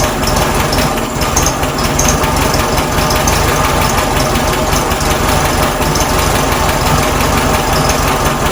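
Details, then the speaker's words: 1967 VW Karmann Ghia air-cooled flat-four, first idle after sitting since 1975: fast, busy, uneven rattly idle not settling; rough idle, timing needs adjusting, likely needs new points and belt, fuel pump to sort, leak present. "alright guys well it's sounding pretty good not too bad considering that's the first time I I've had idling we need to adjust the timing a little bit"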